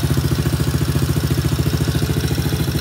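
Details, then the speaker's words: Kids ATV small single after carburetor cleaning, idling before an oil change: quick, even putter about twelve beats a second, no stumbles or rattles, slight smoke from muffler; idle sounds good, strong, no adjustment needed. "Yes, guys, as you can see, it's running pretty good. Idle sounds good."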